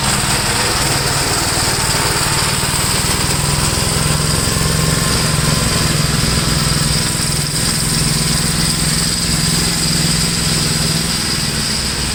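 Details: 1962 Gravely L/LI walk-behind tractor, single-cylinder, mowing a field after valve adjustment and carburetor tuning, with doubtful compression readings: steady chug holding even under load, no misses or knocks; runs normally.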